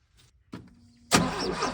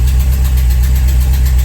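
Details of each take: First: VW Vanagon broken down with a suspected failing fuel pump; owner also suspected the computer and swapped in one from a 1984 van. Starts and runs steadily a few seconds, then dies and must be recranked: stalling. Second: VW Vanagon after a new fuel pump was fitted and its wires swapped to correct polarity: a deep, smooth, steady idle with an even low beat and no missing or hesitation; the engine idles normally.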